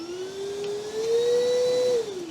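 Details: Metabo cordless wet and dry vacuum with three power settings: smooth steady whir that climbs in pitch through the power steps, then eases down; even and clean, a healthy vacuum motor.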